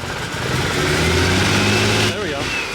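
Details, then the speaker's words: Turbo inline-six with big 272 cams, on its first startup after new parts for dyno tuning. A lumpy, uneven pulse under the revving note: misfire, seemingly on only five cylinders. "I don't think we're gonna go that heavy sounds like we might uh not have all the cylinders"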